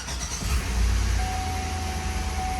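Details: Chevy Tahoe after new AC Delco spark plug wires and oil pressure sensor, 6 quarts oil: catches within half a second into a steady even low idle, no knocks or misses; oil pressure now reads properly. Normal idle.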